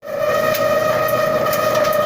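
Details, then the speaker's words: Dryer about 25 years old: steady high squeal over the drum tumble from a dry drum support roller bearing, before oiling it through an access hole. "Hey, I got a Squeaky dryer. Actually, this dryer is probably close to 25 years old."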